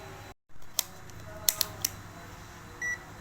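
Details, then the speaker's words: Multimeter buzzer testing a backlight inverter diode on a dim Panasonic 60-inch TV: probe clicks, then a short, clear high beep in the cathode direction and none reversed. The first beep comes from residual capacitor charge. "Nah, ini bunyi karena ini katodanya. Nah, Anda perhatikan di sini tidak bunyi dan ini bunyi."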